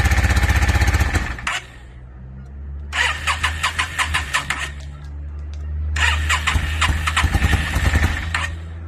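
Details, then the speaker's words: 2002 Yamaha V-Star 650, newly bought, possibly needing a full tune-up, on choke, rusty gas tank; three long fast-cranking bursts, barely catching, running lumpy and low between tries. Hard starting, owner suspects flooding. "I know I probably flooded it out and all kinds of stuff. I was just real anxious to hear it start, which I did get it running for a second, which you guys will see, but I'm pretty sure I flooded it out."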